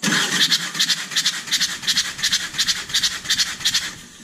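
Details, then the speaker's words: Perkins 4-cylinder diesel in a JCB 208S (1CX) backhoe cranking during a compression test: sharp, even puffs about three per second as compression blows out a cylinder's open injector hole, injector removed; tested cylinders read just over 400 psi. "so yeah so you're going to hear that popping noise that's because i pulled the injectors out and i did not put the injector back in for that cylinder so you'll hear the problem again"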